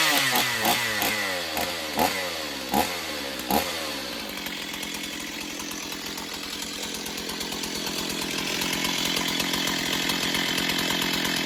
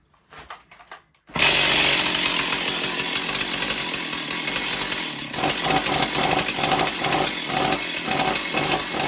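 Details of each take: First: Stihl 028 Wood Boss chainsaw, unused for a long time: sharp throttle blips, then a steady high-revving snarl held and cut clean; it runs well but is weak and still needs tuning. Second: Stihl 028 Wood Boss chainsaw, not run in a long time: after a quiet start it fires into a high, ragged, unevenly surging buzz; choke flap fluttering open and closed rapidly, starving the engine of air.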